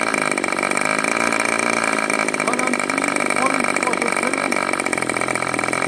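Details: Vintage 61-class glow-plug methanol RC model engine on test: high buzzy idle around 3000 rpm with a slightly ragged, uneven edge; the mixture isn't set, so idle is rough (suspected, not confirmed).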